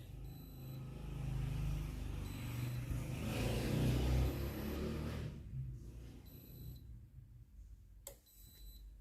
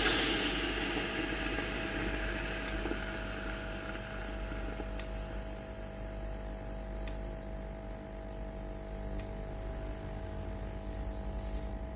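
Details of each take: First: Philips GC7703 steam iron that powers on and heats normally but gives no steam: low pulsing water pump buzz with a beep every two seconds, no steam burst; pump running without output, pump replaced. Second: Philips GC7703 steam iron with no steam output, after water pump replacement, tested at max heat with the self-clean button held over 2 seconds: steady low electric buzz of the water pump running, short beeps about every two seconds; normal pump operation.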